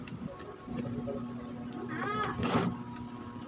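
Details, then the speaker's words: Standard stand fan on speeds one and two: low steady electrical hum, blades stalled, only turn when pushed by hand and then very noisy; bushing/shaft worn loose; fan motor hum with seized shaft. "lagay natin sa number one Ayan umuugong siya lag natin sa number two a Ugong kag tinulungan ng kamay umiikot naman siya kaya lang sobrang ingay"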